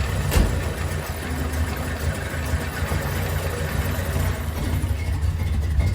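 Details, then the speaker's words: VG Valiant replacement engine (light-metal head), first start: lumpy, loping idle, maybe a bit low, rocker noise gone; sounds healthy. "yeah ah that sounds pretty good nice he probably a bit low but yeah we've got rid of that rocket noise as you can hear that's beautiful"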